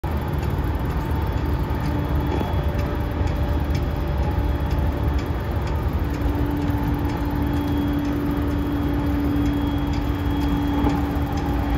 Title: モハE232-3011、車内空調機器故障で異音（2024.7.8.16:52）